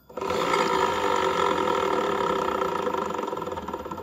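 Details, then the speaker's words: Honda Vario 110 LED scooter, CVT cover open, rear wheel turned by hand: a rough, uneven "rok rok" growl of about four pulses a second from the rear driven pulley. Likely a worn or damaged pulley bearing. "Ini kemungkinan bisa lahernya Yang gejluk atau rusak ya Yang pasti untuk suara tadi itu sumbernya dari belakang sini"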